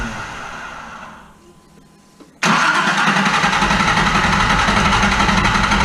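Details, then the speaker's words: Engine after fuel injector replacement: brief crank, catches at once, idles slightly high for a while then settles to a steady, even idle; no fuel leaks, starts and runs cleanly. "all right the injectors are in and she runs great so cranked right up it idled high for a little bit but then it just kind of scenes itself out"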